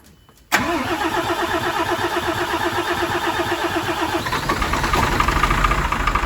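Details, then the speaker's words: MAN TGM D0836 LFL diesel truck at first start after engine rebuild: runs unevenly with a lumpy, irregular beat; diagnostics showed faults in cylinders 4, 5 and 6, with injectors 4 and 6 shorting to ground. "เราสตาร์ทเครื่องยนต์เราเห็นว่ามันทำงานไม่ถูกต้องเราอ่านมันเราทำการวินิจฉัยมันแสดงข้อผิดพลาดในกระบอกสูบที่หกที่สี่ที่ห้า"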